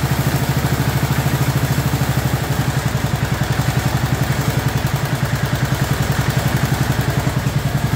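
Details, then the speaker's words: 2004 Murray 12.5 HP lawn tractor, warm, after sticky choke linkage that caused flooding was cleaned and carburetor adjusted. Even single-cylinder thumping at fast idle, no misses, surging or flooding stumble; running properly. "I just want you to hear it running properly instead of running all choked out"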